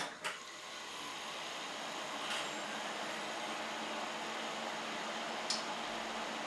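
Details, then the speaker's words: Ten-year-old desktop PC after dust was cleaned out, its fans oiled with machine oil and new thermal paste applied: soft, even airflow hiss with only a faint low hum, no rattle or grinding; the loud droning is gone. "моему разница очевидна в этот раз он будет так как он не должен выделить немножечко шумит себя"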